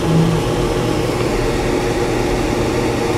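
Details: Whynter ARC-14SH 14,000 BTU portable air conditioner in fan-only mode, high fan speed, about 65–66 dB: steady even whoosh with low hum, no rattles or rubbing; normal fan operation.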